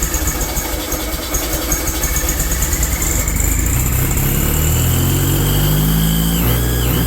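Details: Rebuilt VW air-cooled 40HP engine, first start attempt: starter churns at nearly three beats a second with no steady catch, cranking but failing to fire; cause suspected, not confirmed.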